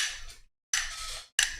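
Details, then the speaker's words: Harley-Davidson fly-by-wire throttle body, plate flicked back and forth: three sharp metallic snaps from loose idler/throttle gear teeth with excessive backlash, which breaks and wears the teeth; commonly causes throttle hesitation. Throttle body has no separate idle air control motor. "Hear the backlash, and it breaks the teeth. So 9 times out of 10, your fly-by-wire throttle hesitation has to do with broken teeth here, worn teeth, or just the mechanical limitation of this device."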